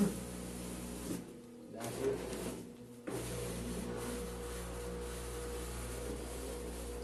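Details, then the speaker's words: 8.5 kg Turbo Drum washing machine at start of spin cycle, pumping water out well; steady low electric hum without rattling or grinding; normal drain pump operation. "estamos revisando y lo vamos a poner a centrifugar y está expulsando el agua bien"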